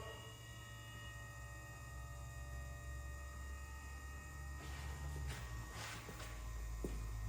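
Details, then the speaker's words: DeLorean with twin-turbo conversion (130 to about 200 hp), parked about 40 years; ignition bumped to hear fuel flow before pushing the metering plate. Steady electric hum with fixed tones, then hissy surges as fuel moves through the lines; fuel pump running normally. "Okay, I'm gonna bump it, let's listen for the change in the gas going through the lines. There it goes."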